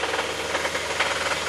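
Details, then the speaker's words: 2006 Mazda 3 2.3 L engine at idle, Steelman listening-tool microphone on the bottom end: four sharp metallic knocks per 720° of crank rotation, much louder at 2500 rpm, nothing from the top microphone; bottom-end rod knock. "at the idle actually um we can clearly see we have four four knocks taking place and it's coming from the bottom"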